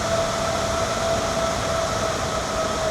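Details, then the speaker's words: EG4 12000XP inverter cooling fans in the garage under heavy whole-house load: steady low airflow rush with a faint constant tone, not obnoxious; normal fan noise under load. "So the fans are definitely audible. They have a pretty low sound to them, and it's not very obnoxious at all."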